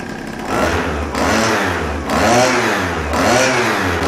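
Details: Chinese pocket/mini bike two-stroke, Dellorto SHA 15mm carb, first run on bad, oil-rich fuel mix: crisp buzzy revs blipped about once a second, clean pickup, no misses; healthy, though a small exhaust leak is noted.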